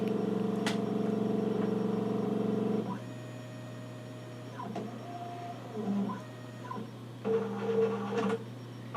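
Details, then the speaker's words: Nikon LS-8000 ED film scanner autofocusing during the second VueScan prescan of color slides; steady motor whir then short stepping tones as the focus drive hunts back and forth; normal autofocus operation. "now it's starting to do the second prescan so it's Auto focusing for"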